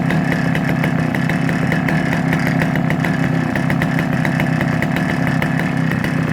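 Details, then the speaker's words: Vintage Husqvarna B65 65cc West German two-stroke chainsaw. Steady, even buzz at constant speed with no misses, surging or rattles. Starts properly and runs as it should. "So going up on eBay as a collector's item, starts properly, runs exactly as she should, and hopefully suitable for any guys out there."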